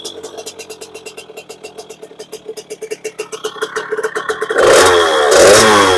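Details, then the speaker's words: 2001 KTM 50SX two-stroke with upgraded aftermarket carb, warming up: lumpy uneven burbling idle then blurry high revs; still running rich, so needle to be moved from position three to one. "still Rich I'm gonna change the mid we're gonna change the Needle height in here a little bit"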